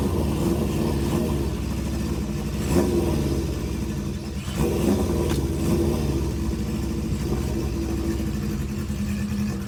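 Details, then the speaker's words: Honda CB550 cafe racer four-cylinder after carburetor work, riding up and down the driveway: ragged, uneven beat, stumbles between blips and pulls poorly down low; starts easily but still needs main and pilot jet tuning. "Well, she started up pretty easy. Runs okay. still needs a little bit of tuning, and that's gonna be a trial and error type of a thing, working with main jets and pilot jets in the carburetor"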